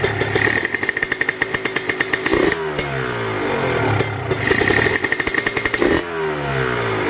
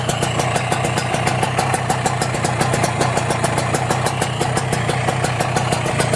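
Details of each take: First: Kawasaki Ninja RR/R two-stroke engine, checked before purchase while being revved: a metallic rattle each time the throttle is released as the revs fall, pointing to a loose connecting rod bearing, upper or lower. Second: Kawasaki Ninja two-stroke, engine block 1878, started cold: steady idle with crisp, even popping and no rattle from crankshaft bearings or connecting rod; this engine sounds healthy.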